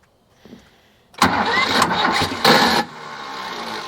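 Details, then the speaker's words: Cheap 4x4 diesel man-lift that had sat, cranked again after bleeding the fuel system: quiet, then loud cranking with uneven puffs and a rough rumble that never cleanly catches; no smoke now, and the owner suspects no fuel pressure (unconfirmed). "I don't know what's going on here now we had smoke before but we're not getting smoke now so that tells me we're probably not getting fuel now"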